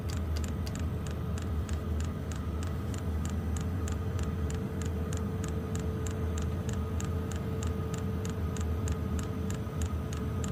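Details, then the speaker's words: Wippro diesel heater after fixing E8/E10 (no fuel) codes with a fuel pump from a second unit, pump set to maximum, air still purging: steady fast ticking about three clicks a second over a low hum, hot air output. Normal fuel pump clicking. "yep we're getting hot air now so E8 E10 is no fuel and when you don't hear the clicking you don't get got a fuel pump anymore pretty self-explanatory"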